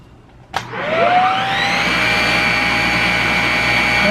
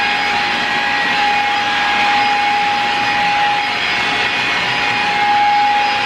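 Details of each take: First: Shark Rocket upright vacuum with low suction, heavy hair buildup on brush roll and suspected clogs in tube; click at switch-on, whine rising to steady high hum, motor and brush roll spinning freely; normal brush roll operation. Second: Shark Rocket upright vacuum that will not suck or pick up, tested on carpet before disassembly: steady motor hum with constant mid-pitched tone and airy rush, runs evenly but airflow sounds restricted; vacuum found heavily clogged, beater bar checked next.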